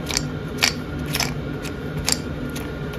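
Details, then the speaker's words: 1960 Bolens Ride-a-matic front drive idler sprocket turned by hand, idler positions heavily worn, snap ring missing, washer fitted instead giving excessive end float, wrong bolts; gritty scraping with sharp crunchy clicks about twice a second, binding and rough. "feels and sounds absolutely horrible trying to turn that"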